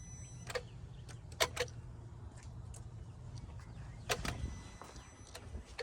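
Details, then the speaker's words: 2004 Mercedes S55 AMG W220 with key out of ignition: scattered faint relay clicks over a quiet hum as water-soaked modules in the engine fuse and relay box, wet from clogged drain plugs after a snowy winter, activate on their own. "You can hear it just clicking. You can hear the relay clicking on and off."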